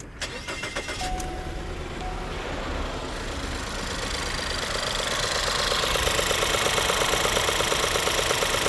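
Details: 2016 Ford 1.6L EcoBoost GDI, new injectors and high-pressure pump 3 months ago: starts, then idles with a regular stumble about three times a second and shaking; single-cylinder misfire that moved with the spark plug.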